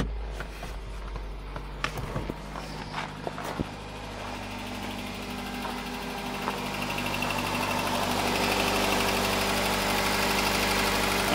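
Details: 2009 Nissan Cube CVT, 195,000 km (about 120,000 miles), after servicing (overfilled dirty fluid with metal shavings drained, filters cleaned, fresh fluid): steady low idle with no high-pitched whine, sounding normal; long-term health uncertain.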